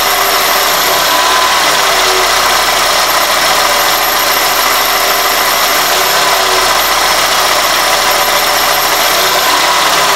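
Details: 2001 Toyota Corolla at idle: a thin, high whistle that turns intermittent on throttle blips, unchanged with the belt or IAC removed. Fixed by cleaning the dirty throttle plate and IAC valve and fitting new OEM throttle-body and IAC gaskets.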